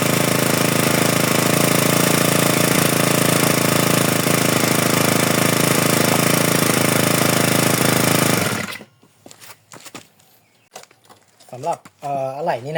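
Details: GX35 four-stroke grass trimmer after replacing the broken starter recoil spring/pawl: steady high-pitched buzz holds evenly about eight seconds, then cuts off; starts and runs cleanly.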